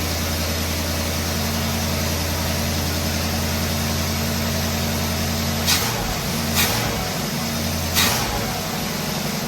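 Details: 1969 Pontiac Firebird Trans Am under restoration, hot-wired start, choke set, factory-style exhaust, warming up: steady even V8 burble with mellow note and a few brief clicks; normal idle.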